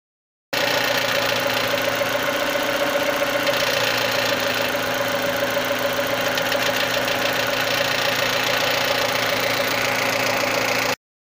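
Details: Idling engine with a tinny metallic rattle from a loose exhaust manifold heat shield.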